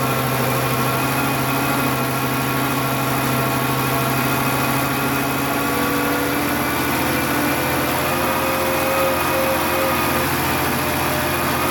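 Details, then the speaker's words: Volvo 850 T5 turbo petrol after fixing vacuum hose leaks, copper valve refitted and yellow control line connected; steady idle climbs slowly and evenly with light throttle and settles back without hunting; coolant reservoir low; idle now near normal. "give a little bit of gas here it does take it up slowly not too much cuz they don't have uh fluid in the uh well some but not much in the coolant reservoir"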